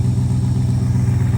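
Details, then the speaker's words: Old Ford truck: deep, steady idle with evenly spaced firing pulses and no misses or knocks; the engine runs smoothly. "from here, or I just resurrect that one. That's a tough decision when it runs like that, doesn't it?"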